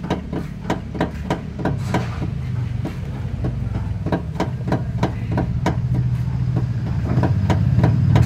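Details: Nissan X-Trail, stationary, steering wheel turned back and forth: sharp clunks about three to four per second over a low engine rumble. The noise persisted after a new tie rod, rack and lower arm, and was traced to a worn stabilizer link.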